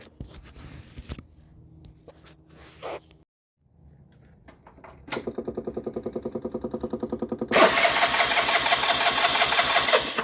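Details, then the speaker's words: 2009 Vespa LX150 cranks but won't start: steady starter chatter about three pulses a second, then a rough loud burst with a little throttle, only coughing, never catching; owner suspects a dirty spark plug again, unconfirmed. "Seems like if I give it a little gas, it'll cough sometimes. Hand in at the same time. It's gotta be a dirty spark plug again."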